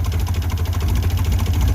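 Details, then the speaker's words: Ford Bronco II, sat for 5 years, first start after priming with a dump of gas and a little throttle: lumpy uneven idle with wandering beat, misfiring and running rough; owner unsure whether fuel pump is mechanical or electrical. "this is some very old I mean as you can see she's not running very smooth"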